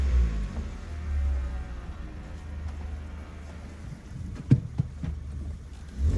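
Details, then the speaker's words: Hyundai Solaris fitted with a Kia Ceed GDI variable-geometry intake manifold, flap knock removed by software calibration: deep, even rumble rising and falling with blips, no rattle or tapping from the intake flaps; normal revving after the fix. "так исправление шума заслонки - это переделанный Солярис на KC GDI коллекторе вот впускном с регулируемой геометрией"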